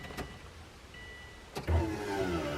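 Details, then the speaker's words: Subaru Impreza after swapping the tired factory fuel pump for an uprated unit, ignition on: a click, then a steady low electric buzz as the new pump primes normally. "yeah oh yeah we can hear that c way that Prim real good that's the job well done"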